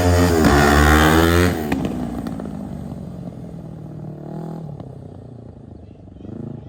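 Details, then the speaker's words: 2003 Kawasaki Ninja 500R twin in a mini bike, dual carbs, warmed up on a test ride (second gear, about 40 mph): hard revving, then sharp exhaust pops and crackles on roll-off; backfiring, owner suspects lean mid-range, may recenter the needle. "Needs a little bit of tweaking. Still tune the carbs a bit more. As you saw, it's backfiring. I think it's running a bit lean in the mid-range."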